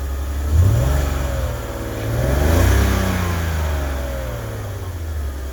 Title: Karson BMW 330ci Rough Idle